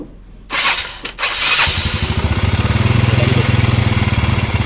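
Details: Engine after cam inspection for power loss, test-started before refitting the body: cranks and catches quickly, then an even, steady putter with no knocks or misses.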